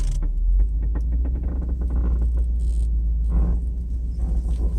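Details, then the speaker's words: Mercedes 500SL driven on the street after a cold start: irregular clunks and creaks over the road rumble, with something loose banging at the left rear corner; differential mount suspected. "there's a little bit of banging sounds like from from this left corner here it's like I don't know how to explain it it's just like something is loose"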